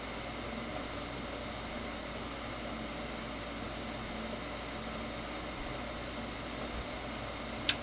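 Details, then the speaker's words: Brand-new Goodman gas furnace, after cleaning the flame sensor: even soft burner roar holds steady; before, flame blew out after about 4 seconds, now stays lit because sensor is clean; normal burner operation. "and she should stay lit. There we go. Before she was staying lit for about maybe 4 seconds and she would blow out. Now she's staying lit because uh the sensor is clean."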